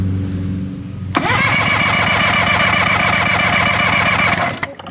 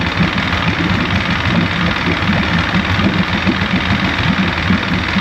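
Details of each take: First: 1973 Johnson 65 hp outboard (65ELS73R) that cranks but won't start after years of sitting, cranked during a compression test with the key off. Even, steady cranking at about four beats a second. Readings of about 120 to 140 psi show normal compression. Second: 1973 Johnson 65hp outboard (65ELS73R, no tilt/trim), long-sitting, first start after no-start repairs: rough uneven two-stroke idle with rattly burble, cold at about 60°, water pumping but thermostat not yet open.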